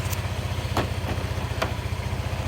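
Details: 2019 Honda PCX scooter, just under 177,000 miles, first start after replacing the failing ECU that caused erratic no-starts; kickstand up, fuel pump running, engine ticks over at an even steady idle with no misses or knocks.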